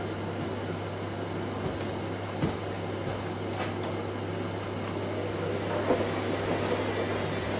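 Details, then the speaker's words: Zanussi Electrolux Aquacycle 1200 ZWF1221W washing machine during a wash: steady low motor hum with a slight even whine, no knocking. Owner notes the motor is a bit whiny; cause not confirmed. "might the motor is a bit warning in there"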